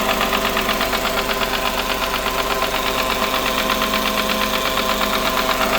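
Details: Smart ForFour idling with a regular hard tapping knock, about three per second, running through the engine note; the car also leaks oil, and a new engine is recommended.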